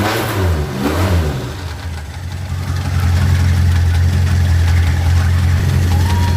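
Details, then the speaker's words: Suzuki Katana after the distributor turned counterclockwise to cure hard starting: a quick rev falls back to a steady, even idle with a low, regular beat and no stumble; engine runs smoothly. "pilih starter langsung greng langsung didapat tenaganya enak banget Dur dan suara mesin juga akan lebih halus"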